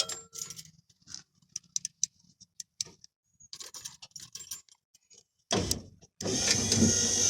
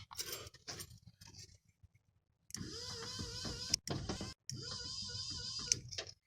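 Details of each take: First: 1986 Ford F350 power window motor after the 11mm ball bearing repair replacing worn plastic bushings that made it spin: after some clicking and handling, the motor runs in smooth, even bursts with a steady whir; normal operation. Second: 1986 Ford F350 power window: two bursts of high wavering motor whir as the window motor spins freely when rolling up, plastic drive bushings inside gone; fixed with 11mm ball bearing mod.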